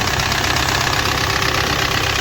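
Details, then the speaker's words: Audi Q3 2.0 TDI diesel at idle after timing work: loud, rapid, harsh knocking with a timing advance issue and crankshaft position sensor code P0016, caused by a camshaft plate missing a tooth; the plate was replaced. "तो इसमें कड़कड़ करके काफी knocking का आवाज कर रहा था और टाइमिंग एडवांस टायर का इशू आ रहा था"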